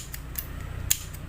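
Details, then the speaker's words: Electric fan push-button switch after rust was cleaned off and contacts sanded: a handful of crisp separate clicks as buttons press and snap back freely; previously stuck switch now working properly. "เด้งแล้วครับผมเองทุกตัวนะครับโอเคกดเด้งหมดแล้วครับผม"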